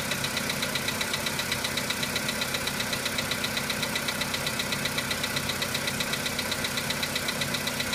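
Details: VW Polo Sedan on a cold start: crisp, even metallic ticking knock from the top of the engine over a steady idle. The knock fades as the engine warms; the owner asks what it is. Cold-start engine knock.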